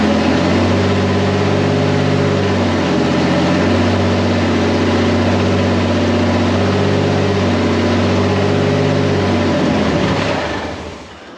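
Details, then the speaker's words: Turbocharged 1951 Chevy rat rod, first start on first crank after chassis swap with changed exhaust and intake: steady, even low idle drone with smooth regular beat, no misses, knocks or rattles; running, though it sucked up the oil put in. "we have some stuff we have to figure out but i mean it's running i'm so excited"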